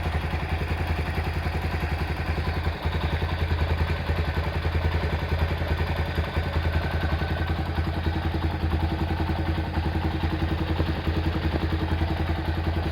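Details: Honda Tiger Revo engine at hot idle: light even tick from the cylinder head about three a second, quiet when cold; loose rocker adjustment and worn valve stems, with oil seepage noted.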